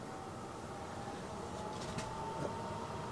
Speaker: oh if you can hear that or not but that's actually the furnace fan blowing but just in a ventilation mode there's no heat applied to it